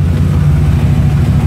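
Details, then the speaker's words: 1995 Chevy Silverado C1500 rebuilt with a 383 stroker (400 crank), high-rise intake, electric fans, no headers yet: strong, steady low V8 idle rumble with even beat, no ticks or knocks; normal idle. "so yeah yeah it's running great so I got it up and running got it going now"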